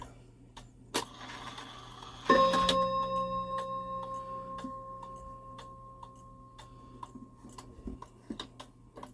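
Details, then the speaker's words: Shanghai 555 clock, cleaned and fitted with a new suspension spring, ticks steadily, then rings a single bell strike that decays with no further blows; it strikes as if 3 o'clock. Wrong strike count. "Okay, that's not right. So it thinks it's 3 o'clock right now."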